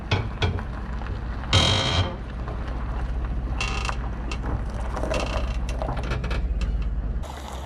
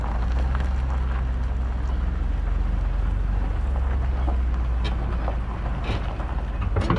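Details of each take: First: Equalizer weight distribution trailer hitch while towing slowly: irregular creaks and clunks over low rumble; noisy hitch, likely loose hardware. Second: Travel trailer weight distribution (equalizer) hitch while towing, in dry conditions, after the loose bottom bolts were tightened to 75 ft-lb: steady road rumble with no creaks, groans or pops. The hitch now runs quiet.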